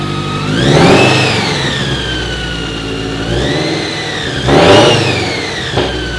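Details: Toyota 86/Subaru BRZ/FRS after Kraftwerks supercharger install with upgraded injectors and swapped header, first start after priming the blower oiling system and holding 2500 rpm: crisp free revs from steady idle, supercharger whine rising and falling cleanly; healthy.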